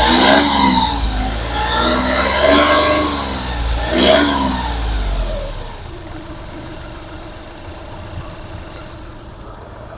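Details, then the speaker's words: 2013 Volkswagen Polo TDI diesel, single owner, Amaron battery: a few rev blips, then an even, quiet idle with no knocks or rattles. Engine as smooth as a petrol engine, so a normal diesel idle. "ಎಷ್ಟು smooth ಆಗಿದೆ engine ತುಂಬಾ smooth ಇದೆ engine petrol engine ತರ maintain ಮಾಡಿದ್ದಾರೆ"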